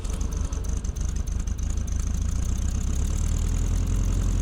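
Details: 1965 VW Beetle air-cooled 6-volt engine after partial rebuild with new piston and rings for a weak cylinder, new clutch, not fully warm: steady even idle, light regular valve tick over deep rumble; healthy, starts better with more compression.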